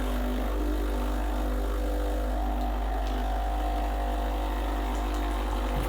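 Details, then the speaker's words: Breville BES870 hot water spout dispensing a fixed 8 oz to warm a cup, on a freshly descaled machine. Constant low, deep pump drone with faint water hiss, steady from start to finish; normal hot water dispensing. "it will dispense exactly eight ounces not sure how many milliliters that is"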